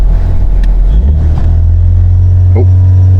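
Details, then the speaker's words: Towed-in comeback car: it starts, but once the throttle is touched it climbs to a steady heavy drone of about 4000 rpm and holds with no throttle input. "i started up on the parking lot and indeed she was correct i started it it it'll find but as soon as you touch the throttle it would rev right up to about 4 000 rpm and shut the key off"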